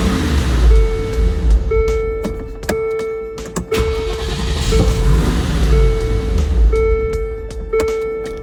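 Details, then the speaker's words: 1999 Land Rover Discovery that sat for years, after replacing BCU, ECU and crank sensor and refitting a spare ECU: starter churns, engine barely catches then cuts out with a chime beeping; ignition power is cut after a second, so it starts then dies. "Now it will start for a second, and then it dies."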